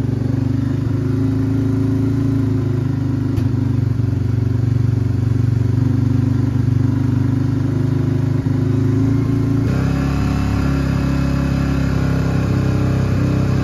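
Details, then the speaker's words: Old Honda Fourtrax ATV that sat for years, single-cylinder idling on the first notch: loose, uneven puffing chuff over a deep steady thrum from multiple exhaust leaks; hesitates when throttle is opened. "all right we got her to idle definitely have an exhaust leak"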